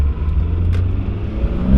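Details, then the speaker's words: Neglected Mitsubishi Evo 9, said to need a clutch, locked out of 6th: revs climb with a rising tone but the car doesn't pull. Slipping clutch won't hook up at all. "That's the clutch. It won't even hook up at all."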